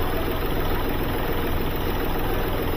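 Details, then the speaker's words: Hyundai Xcent diesel with a complaint of occasional tapping knock and smoke; two injectors were repaired months earlier and injector return flow now tests okay. The idle clatter is steady and even with no tapping knock, so the engine sounds healthy. Smoke is possibly EGR-related. "आवाज भी ऐसे अभी race दया आपने कोई टक टक टक की आवाज तो है नहीं"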